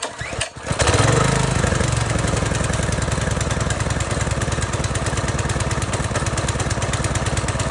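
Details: Fairly new pressure washer small engine after replacing carburetor clogged by old gasoline: quick pull catches and settles into steady, even single-cylinder chug with no misses or surging, running healthy.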